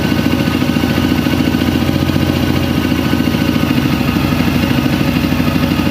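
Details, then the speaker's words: Honda CRF250L, warm, still smoking, after the ECU-indicated faulty parts were replaced. The single idles fast with steady clatter, and the idle hunts high and erratically, won't settle. "no it's still not right oh it's going off on its own that's how you uh that's how you read your ecu that's hunting all over the place now"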